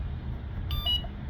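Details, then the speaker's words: Electric bicycle whose motor does not spin, switched on: quiet hum broken by a quick burst of shrill electronic beeps; controller alarm flagging an error at switch-on. "So you turn it on. everything turns on and you get the alarm sound when there's an error."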